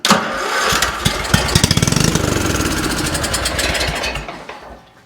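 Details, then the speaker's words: Craftsman 30-inch riding mower given carb cleaner down the intake: catches with quick uneven firing for a few seconds, then dies; spark plug and electrics fine, carburetor issue suspected. "fired up and died instantly try it again well it's definitely not a spark plug issue as you see spark plug's fine everything here is fine the electrical allows it to start as it is but we're having a carburetor issue"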